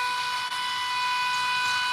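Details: Oil scavenge pump for a rear-mount turbo oil return on a RAM 1500, demo with a little oil added after running dry; steady high whir, even pitch, no gurgling, oil pumped out without foaming. Normal operation.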